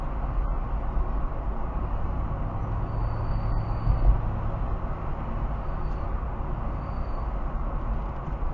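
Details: Mercedes-Benz CLK430 running: steady low engine rumble with a faint thin high whistle or howl coming and going; squeal of undetermined source.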